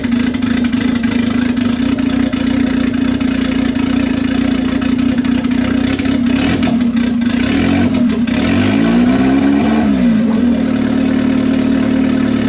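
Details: $500 Honda Civic (manual swap, Hondata) just turbocharged with a ported T04E, first start with an open upward downpipe: steady even idle, then a clean quick rev that climbs and falls smoothly with no misses or knocks, a healthy engine.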